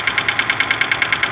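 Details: Daewoo Lanos with engine code AE at quiet idle: sharp, even, high-pitched ticking about ten times a second; noisy hydraulic lifters.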